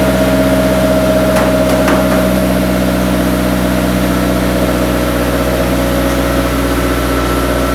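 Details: Idling after a five-month winter build, ahead of a clutch and transmission test: smooth, steady idle with an even hum, no knocks or misfires, background quiet; the engine runs healthy.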